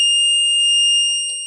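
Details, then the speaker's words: Battery desulfation charger, clamps deliberately connected with reversed polarity before switching on: one sharp, high continuous beep of about a second and a half; reverse-polarity warning, this unit has no LED indicator. "ถ้าเราคี้ปิดขั้วนะครับก็จะมีเสียงเตือนแต่ว่าจะไม่มีLEDโชว์เหมือนตู้รุ่นFullOptionรุ่นที่แล้วนะครับ"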